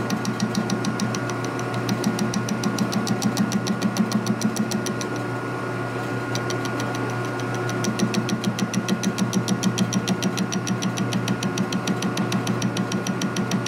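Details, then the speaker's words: Milling machine cutting a tap driver tool from hardened steel: a sharp, regular chattering tick about three per second over the machine hum as the cutter rubs on hard spots, cutting almost nothing and dulling the bit. "That's what's making all that noise. It's killing a bit, too."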